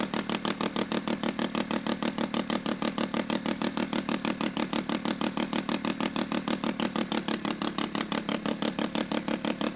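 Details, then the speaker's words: Sachs Wankel 303 rotary with a 1000cc Mikuni carb, points ignition, and no muffler. It holds a fast, even popping beat of about three pulses a second with no misses; a healthy idle. "As you heard, I took the muffler off so you could actually hear the motor."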